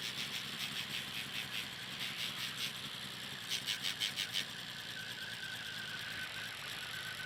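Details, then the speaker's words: 1985 Toyota Celica Supra (MKII) idling very roughly, engine shaking badly with a lumpy, stumbling, uneven beat and hiss on top; runs fine above 1000 rpm, long cranks when cold, hesitates from stop, no white smoke, no air leaks found. "And when it's idling, the engine shakes really bad. But at higher RPMs, the engine runs fine."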